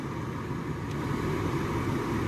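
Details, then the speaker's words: Nissan Note automatic, original heater blower motor refitted after the new one hit its fins and cracked a plug, run through speeds 2–4: smooth, even fan rush and low steady hum, no knocking or ticking; working again. "So, yeah, we've got it working again."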